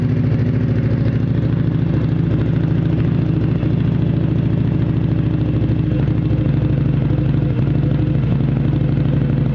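Low uneven chuffing and clatter at idle with a loping, irregular beat; the engine is running rough on a cold start.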